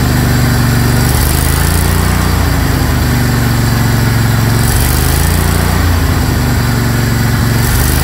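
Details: Craftsman GT tractor (model 917.258873) with 18.5 hp Kohler CV18S 624cc V-twin, formerly hard-starting, running after carburetor replacement (Kohler 24 853 41-S, new gasket); smooth, even low drone holding speed, no stumbling or surging; normal running.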